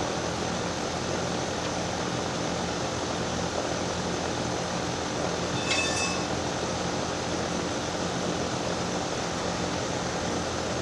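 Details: Daikin DX14 2-ton unit scroll compressor running: constant loud roar with harsh rushing hiss, steady throughout; far louder than normal, cause suspected, not confirmed.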